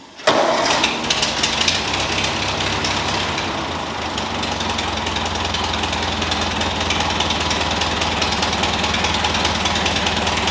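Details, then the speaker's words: Ford 2N tractor with a new knock-off carburetor and an adjusted governor, started without coolant yet added: it catches quickly and settles into a steady, even idle with no misses or knocks, a normal idle. "all right guys finally this thing is running it's operating perfectly fine"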